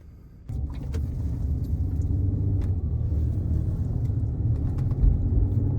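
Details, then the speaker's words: 2020 Chevrolet Colorado under light driving while scan-graphing torque converter clutch slip: deep, uneven rumble shaking the whole truck. Repeated slip spikes show a bad torque converter clutch shuddering. "So right there it did it. It is doing it pretty bad. It's basically shaking the whole truck."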